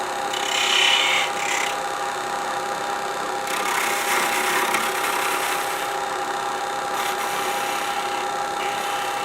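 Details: Woodturning a 2x2 sapele bell ornament on a lathe with spindle gouges, thin spindle now supported by the tailstock with cotton: steady, even scraping with no chatter or bounce. The cut is smooth and stable.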